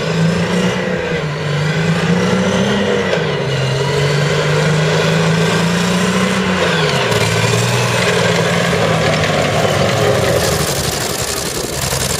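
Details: CVR(T) Striker FV102 Swingfire tank at Aston Fields, Aug 2010: heavy engine drone with an uneven, stumbling beat, missing on a cylinder; misfiring badly, cause was a stuck valve, later fixed by fitting a spare engine.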